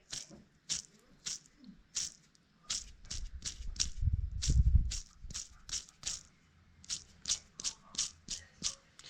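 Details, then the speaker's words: 125 SX wheel bearing spun by hand during removal: loose, gritty rumble from a bearing worn, rusted and dry, with zero grease on the axle through lack of maintenance. "bah tout ça est dû bah à l'usure oui déjà mais aussi un gros manque d'entretien parce qu'il s'est rouillé tout"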